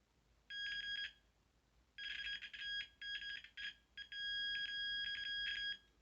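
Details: After resoldering a joint on the gas valve of a Carrier Weathermaker gas furnace, the continuity meter holds a clean high beep for each probe contact without pressure, so the repaired joint conducts steadily.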